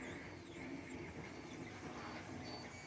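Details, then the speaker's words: Used 3D printer, repaired after shipping damage, with bed leveled, printing in the background: faint warbling stepper-motor whirr rising and falling in pitch as the head moves; normal stepper operation. "I don't know if you can hear in the background, there's this stepper motor kind of"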